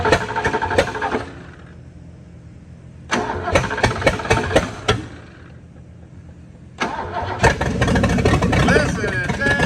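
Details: 1970 Mustang at first start after a long-stored engine from a Thunderbird was installed, with points checked and a new battery cable and different battery fitted: bursts of uneven cranking with long pauses, then it fires and runs roughly and unevenly; timing possibly off.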